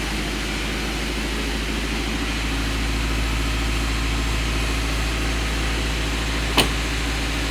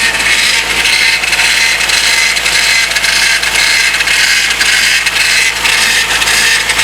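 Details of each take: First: Rebuilt Honda CR-V at idle with front wheels off the ground, power steering belt just fitted and fluid refilled after running low: steady, even idle with no pump whine or groan; normal. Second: Rebuilt 2001 Honda CR-V, front wheels off the ground, right after fitting the power steering belt and turning to lock: steady hissing whir with a faint high tone; fluid level dropped, noise suspected from running low.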